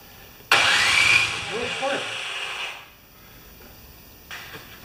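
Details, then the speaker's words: Craftsman 24-inch 9HP snowblower after a thread repair, primed and choked, gas on: couple of seconds of harsh cranking then silence, no catch; won't start. "something's not right here guys we've got two problems yeah we got two problems"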